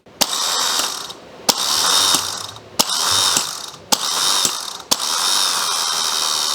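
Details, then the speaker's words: Mazda MX-5 NC (MK3/3.5) starter motor bench-tested off the car with jumper leads. Five short bursts, each a sharp click and a thin, sagging whirr, with weak engagement and a smell. The starter is failing and is replaced. "You can hear it dying as well. It's a very weak engagement. There's a lot of noise as well in there. It does sound very weak."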